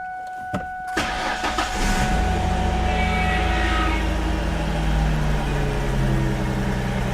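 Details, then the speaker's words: 2004 Ford Mustang that sat in the desert for a couple of years; after a short crank it catches and settles into a smooth, steady idle with an even low rumble, running fine, though a cooler line needs replacing. "Well, she runs. Actually sounds pretty good."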